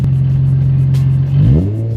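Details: Nissan 350Z exhaust test just after a new exhaust install: a steady, deep drone, then a quick rev blip and back down; a clean note with no rattles or popping.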